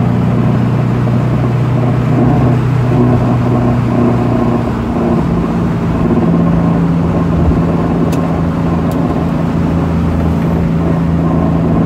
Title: Rattling sound Corolla KE20